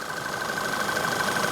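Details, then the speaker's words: Engine with a deliberately induced intake air leak, a fault that would coincide with a lean running or fuel mixture fault: a steady idle with a thin, constant high whistle. An acoustic camera locates the leak on an intake pipe. "Okay, so we've put an air leak fault on this engine, and that would be something that would coincide with a lean running fault or a fuel mixture fault."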